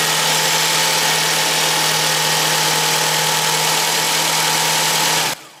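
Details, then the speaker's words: Nissan X-Trail idling after replacing an alternator that ground from damaged bearings, with output now 14.1–14.7 V: a steady, even hum and smooth hiss, and the grinding is gone. Normal idle. "is the final results and grinding noise has been completely disappeared"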